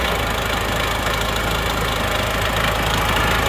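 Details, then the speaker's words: Isuzu Panther diesel first started after engine repair: harsh, clattery idle with a hard steady knock. Injection pump set mid-position is over-fuelled because the regulating valve was tapped in too deep; timing too far advanced. "Ini posisi bospom di tengah-tengah masih kefuren ya, terlalu full, suaranya agak kerang. Ini karena ternyata setelah saya lihat ini bagian regulating valve ini diketok terlalu dalam ya, diketok terlalu dalam, efeknya itu bospomnya menjadi 4, jadi seperti itu."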